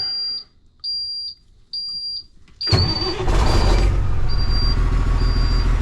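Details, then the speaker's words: Cabover truck with 60 Series diesel, first start after engine swap and fire repair; three warning beeps, short crank, fires and settles into even solid idle; normal start. "Oh, that sounds better."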